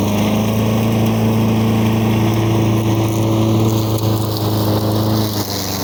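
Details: 1985 Lawn Boy model 7350 two-stroke mower, revived after at least three years outdoors, cutting weeds on raised wheels. Steady, even buzz holding speed under load with no misses or surging. Runs well, though slightly slow; the owner may adjust the RPM.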